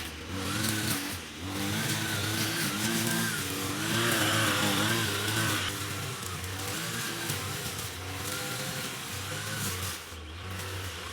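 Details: Trash-picked Ryobi two-stroke string trimmer, about four years old, after repairing broken air box: revs up and settles to a steady clean buzz, no misfire or stumble; engine runs properly.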